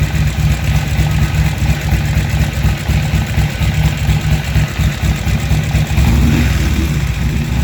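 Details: Harley-Davidson XR1200 after replacing the throttle position sensor, intake seals and o-rings: a deep, lumpy V-twin idle that holds steady through a throttle blip and settles back evenly; idle fixed.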